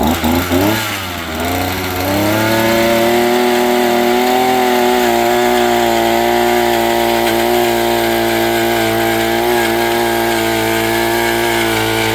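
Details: Predator auger that would not stay running or start, after replacing corroded broken fuel lines, priming bulb and pulling on start: brief rough catch, then steady, even high buzz with no surging or dropouts, running properly.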